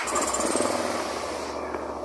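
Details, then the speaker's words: BMW GS 650 (2011–2015 era) that died at idle and started hard, after repair: starts without throttle and settles to a steady, even 1200 rpm idle; ABS and fuel sensors still faulty. "isso aí estabilizado lá em 1200 RPM com a luz do ABS com a lâmpada do ABS sensor ruim quebrado né sensor de combustível também tá ruim tá mas a motocicleta tá aí ó funcionando"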